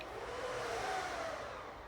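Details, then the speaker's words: HP ProLiant DL360p Gen8 server at power-on: a loud, steady rush of air as the fans ramp up, with a faint mid-pitch whistle. Normal fan spin-up. "So now we're going to turn on the server, which this will probably be very loud. I apologize."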